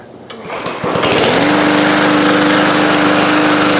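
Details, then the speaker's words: Old lawn mower's first start after a budget repair, before warm-up and the oil change: catches after a few pulls and settles to a buzzing run with a slightly uneven beat. It runs a little rough, which the owner expects to clear. "She started ran a little rough, but I think it'll work its way out."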